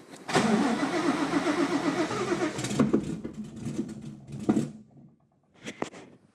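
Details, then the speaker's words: Widebody Fox Body with cammed built Coyote, ported Boss 302 heads and Whipple Cobra Jet supercharger, tune just changed to 120 lb injectors: starter cranks, engine coughs and sputters but never catches; owner suspects flooding, timing unsure. "it also sounds kind of pissed so hopefully the timing on the motor's right we'll see I wonder why it's doing that I think it's flooding actually"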